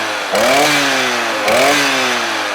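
High buzzing two-stroke rev, blipped twice and climbing freely each time with a clean, crisp pitch rise; engine running strong and healthy.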